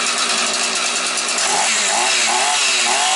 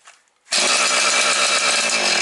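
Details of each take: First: Husqvarna 445 chainsaw, long unused, started cold with low idle set and cover off; wavering, hunting note that sags and recovers at low revs; cold hesitation until it warms up, choke more open might have started it sooner. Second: Husqvarna 445 chainsaw, long unused, idle set low: silence then it catches at once and holds a high, steady, even buzz with no misses or surging; runs well.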